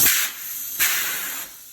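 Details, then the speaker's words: Tire changer bead seating: the foot pedal fires bursts of air up from the bottom while the air nozzle is on the valve. Two sharp hissing blasts about a second apart, each tailing off; the bead-seating jets working normally. "I'm gonna get my air nozzle on there and I'm going to stomp on this and a bunch of bursts of air is going to come up from the bottom."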